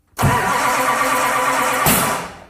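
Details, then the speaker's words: 1967 Camaro "Crusher" with a rebuilt 550 hp small-block, Thermoquad carburetor and TH350, first start attempt: starter cranks two seconds with one sharp pop, never catches; distributor installed 180 degrees out. "oh you're timing might be a little out of whack that sounds like it so he's now questioning himself when he put the distributor in the thing if he's got it 180° out or something like that"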